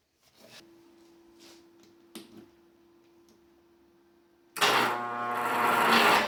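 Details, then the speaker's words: Rusty Honda 6500 W generator cranked on electric starter with a battery booster, before fuel hose replaced: quiet hum then short heavy strained, dragging starter whir, not catching; starter has a hard time turning it. "the starter has a hard time turning it maybe it will start with a half turn"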